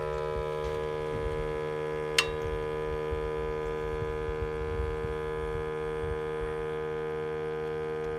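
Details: 2012 Ford F-350 6.7L diesel after shutoff: a steady whir like a small air compressor lasting about 40 seconds, from the turbo wastegate vacuum solenoid module under the EGR; a failing solenoid, fixed by replacing it.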